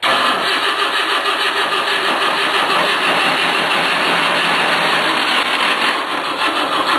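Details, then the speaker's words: Versatile 400 cold start after sitting since last fall; steady starter churn about three turns a second with no firing, cranks but won't start because it ran out of fuel. "Damn. Oh Christ, it's out of fuel. Oh man, now I gotta go back to the shop."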